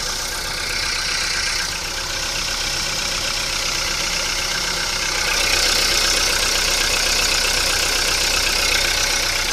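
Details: VW Polo Sedan on Lukoil Genesis Armortech 5W-40, 5,000 km on this oil, cold start after two days parked. Quick light ticking about three per second over the idle. Hydraulic lifters tap in the first seconds until oil pressure builds.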